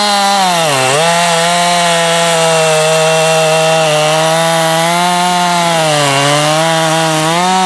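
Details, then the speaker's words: Husqvarna 550XP AutoTune chainsaw after case and seal rebuild and pressure/vacuum leak test: steady high buzz, dipping briefly twice and recovering cleanly; returns to idle without bogging, stalling or overrun; healthy. "so that's a happy 550 starts first pull you can get it warmed up drop it right to idle it doesn't bog or stall"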